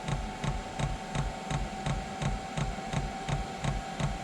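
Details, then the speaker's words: Diesel air heater during start-up, E8 error: crisp regular fuel pump ticking, about three per second, over a faint hum; pump pulsing normally. Airflow is not ramping up fully, and the owner suspects a dirty, blocked burner part. "I think it's firing up. Okay. It's ticking. It's doing what it's supposed"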